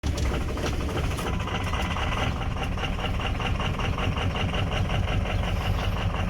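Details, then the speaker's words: 2004 Ford F-350 6.0 Powerstroke diesel with low power complaint, at idle: lumpy, uneven chuffing like an old tractor, cylinders 6, 7, 4 and 1 negative on contribution; misfire on four cylinders from failed FICM. "can hear when it starts there it's clearly got a goodness to it it sounds like an old tractor so six seven four and one are all showing negative on the contribution"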